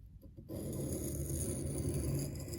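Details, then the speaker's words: Reed knife on a wet 1500-grit stone, front side of the blade, angle guide number 6 after the lowest angle failed to grind: a dry, even rasp starts as the blade bites, closer to the wanted sound at a near-correct angle. "Sound is a little closer to what we want."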